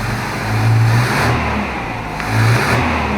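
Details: Toyota Hilux with points ignition, right after fitting a new condenser to cure weak spark: two clean throttle blips rise and fall smoothly from idle, no stumble or misfire; normal revving, ignition firing strongly.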